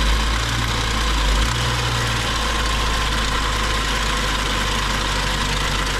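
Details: BMW 535xi M Sport, rebuilt engine with about 2,500 miles, drivetrain malfunction warning: rough idle with a busy fast rattling tick over the engine hum; VANOS screens clean, rod knock ruled unlikely, lifters or high-pressure fuel pump suspected.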